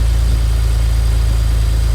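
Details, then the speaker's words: BMW E91 335i wagon, N54 engine, at idle after the faulty ignition coil was replaced and codes cleared, not yet warm: smooth, even idle with steady firing and no stumble; scan tool shows no misfire. "okay so as you can hear no misfire just to be sure we're going to read the code you can see it shows no misfire"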